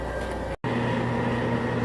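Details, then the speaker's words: 2002 Chevy Silverado 6.6 Duramax, aftermarket lift pump under cab, key on, after fixing melted fuse and bad ground blamed for voltage drops; draws about 5 amps, runs faster than before. Steady, even electric hum, one brief dropout; lift pump running normally. "So you can hear the fuel pump running. It's running faster now than it was before. I think that melted fuse and that bad ground was making some voltage drops to the pump."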